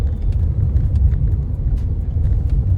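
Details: Toyota Zenix on a test drive after the dealer lubricated the interior rubber parts to cure a krek-krek rattle over bumps. Smooth, deep road rumble with no clicks or creaks over bumps; cabin quiet.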